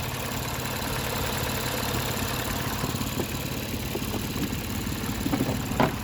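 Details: High-mileage used car inspected for purchase in Ontario, engine idling: steady, low, even hum with no squeal, chirp or rattle from the belt; pulleys spin smoothly, normal idle.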